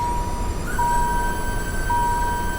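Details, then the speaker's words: Electric power steering pump on a Hurricane inline-six turbo swapped Dodge Viper, key on, duty cycle raised by knob: thin steady whine near one kilohertz stepping up in pitch as driven harder; odd pitch likely from air in the fluid. "It's probably got some air in it though. That's probably why you're hearing a little bit of weird out of the pitch. But pretty cool. Anyways, that's our electric power steering pump."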